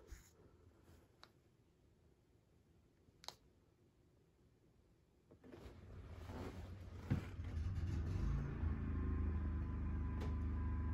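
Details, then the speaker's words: Champion 4250 W inverter generator, remote key-fob start with only an 8 W light load: a few clicks, short crank, then catches and settles to a steady even run; normal start. "all right there we go it started with a key fob and you're not supposed to start it with any load on it"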